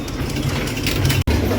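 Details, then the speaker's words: Cosmic Tower arcade machine showing error 7 (fallout component sensor error), game running with credits: steady low mechanical rumble with gear clatter and a brief drop; tower mechanism turns evenly and works, though balls don't always come out. "So, the tower mechanism, it seems to be working."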